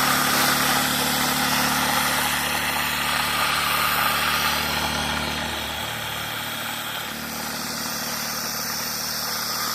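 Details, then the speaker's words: Homemade Tesla turbine prototype, steam-powered from a firewood fire box, with hand-balanced discs and six washers where twelve are needed: steady high whirr with a droning, wavering buzz as it spins up, vibrating hard at speed. "Oh, yeah, it's vibrating like mad."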